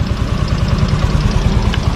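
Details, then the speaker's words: Yamaha Mio Fino 125 scooter idling: light even metallic ticking about seven a second over the low thrum, louder at higher rpm and reportedly when the engine is hot; loose valve clearance. "Nah di sini langsung saja ke permasalahannya ini permasalahan bisa teman-teman Dengerin nih ini Suaranya berisik nih"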